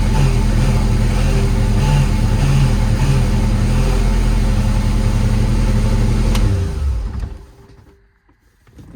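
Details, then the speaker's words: Lotus Elan after clutch job, engine idling in neutral: steady low drone with a faint pulsing rumble, then shut off; horrible noise when the clutch is disengaged, cause unknown, engine to come back out. "It's making a horrible noise when I disengage the clutch. Fuck. Oh shit. I don't know what that is. I've never heard that noise before."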